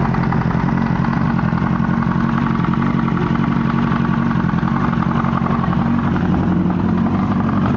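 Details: 1998 Yamaha R1 after an accident: loud rough idle with uneven low knocking clatter, louder from the engine's right side, with exhaust backfire; source unknown, owner suspects cam chain tensioner, clutch basket or valves.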